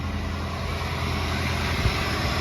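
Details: 1993 Cadillac Fleetwood Brougham after new belt tensioner and serpentine belt, sat about a week; starts right up, steady even idle with no strange noises, smoke from exhaust. Finding: normal idle.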